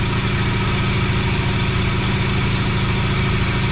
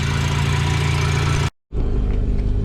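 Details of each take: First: Mazda FC RX-7 rotary, restarted after fuel lines repriming and coolant clog cleared, no leaks: steady, even buzzing idle with constant low drone, no misses or knocks; sounds healthy though idling high around 2,000 rpm, suspected vacuum leak. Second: Mazda FC RX-7 rotary before a test drive: steady raised idle around 2,000 rpm with a smooth buzzing drone; a vacuum leak is suspected, unconfirmed, and the idle might come down.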